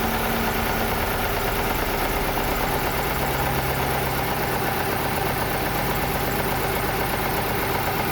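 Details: Chevrolet Lacetti/Cruze 1.8 shaking and pulling poorly: loud uneven, lumpy idle, one cylinder dropping out from a weak ECU ignition coil driver signal; misfire from faulty ECU ignition coil driver.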